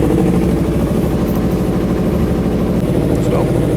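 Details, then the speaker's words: Yamaha YZF R3 at 24,000 km after NGK spark plug change: steady idle holding at 1500 rpm with no hunting or surging, where before it spiked between 500 and 1500 rpm. Normal idle. "you see that there's a steady idle, there's no flux, there's no nothing. It's steadily at the 1500 right over here."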